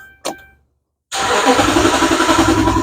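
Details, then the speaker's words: 2011 Dodge Ram cranks but won't start: a click, a pause, then steady cranking at three to four beats a second that never catches. Loaded circuit test shows the ground is fine; about two volts on the fuel pump power feed, suspected power-feed fault. "I'm doing a load loaded circuit test the vehicle will crank but will not start as I think as a fuel [Music] pump"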